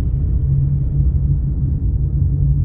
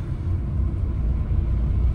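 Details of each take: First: Car on factory-fitted Goodyear tyres, coasting off throttle on asphalt with all windows closed: deep constant rumbling drone; excessive tyre road noise, owner attributes it to aged tyres that still have tread. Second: Car on new Ceat Secura Drive tyres, driving: soft steady low rumble with no hum, slap or squeal; normal quiet tyre noise, new tyres typically get louder after 1-1.5 years.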